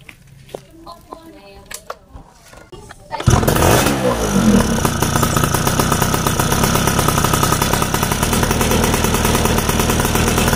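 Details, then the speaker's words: Yamaha F1ZR two-stroke after servicing for severe low-end stutter that began after getting very wet, carburetor needle clip raised from position one to two; fires and settles into a crisp, even ring-ding idle with steady pops; running normally. "oh yes, so for this, it's finished, it's normal, just walk because the roads here are bad"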